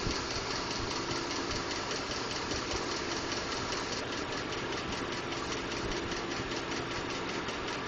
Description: Ticking or knocking noise. Currently this has been diagnosed as "normal" from Ford.